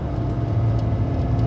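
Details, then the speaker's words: JDM Suzuki Jimny JA22 at 120 km/h after the bad rear wheel bearing was replaced. Even, low tyre roar with no rising hum or growl; the noise and vibration are gone. Normal road noise. "We're at 120 kilometers an hour. I don't hear anything out of the ordinary. That's good."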